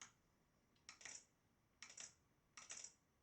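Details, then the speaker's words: Model Racing Supershot arcade game with the audio PCB connected: the lamp relay gives three crisp clicks whenever the target is hit, switching normally, while no audio effects come from the speaker yet. "We can hear the lamp relay clicking whenever I hit the target."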